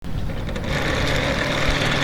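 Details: Electric fan, noisy before repair: steady hum with a low chopping helicopter-like throb, running rough; cause suspected, not confirmed.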